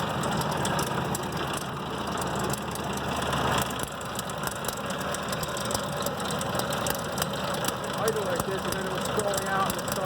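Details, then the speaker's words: 2004 Ford Expedition 4.6 V8 idling roughly, nearly stalling then recovering, with loud busy metallic rattle; owner unsure whether timing chain or lifter. "its maker the crazy rattling noise not sure if it's a timing chain or could be a lifter"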